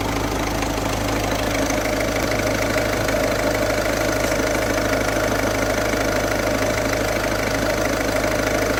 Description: Mit der Zeit verschleißen sie, werden beschädigt und verhärten sich, wodurch sie auf den Riemenscheiben durchrutschen und dieses Geräusch verursachen.